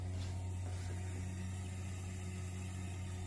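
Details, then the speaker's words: Toyota 7M car, fuel pump run at full 12 V via relay mod triggered from ECU auxiliary output, fuel pressure rising; steady even low hum with no surging or rattle; normal fuel pump running. "okay you can hear the fuel pump rolling"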